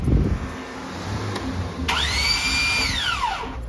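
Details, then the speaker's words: Starter motor that previously bench-tested fine: on starting, a high whir rises quickly, holds, then winds down with no engine turning over, starter free spinning without engaging; cause suspected, not confirmed. "so we go to start it and it's just gonna free spin listen to it let me do that again"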